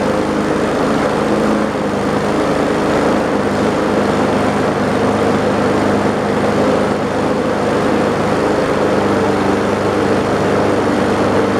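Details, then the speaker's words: Old lawn mower left for dead, water poured out during priming; after several more primes the small engine catches and settles into a steady, slightly ragged run after a hard start. "CLE more primes there we go that sounds like it's doing something now"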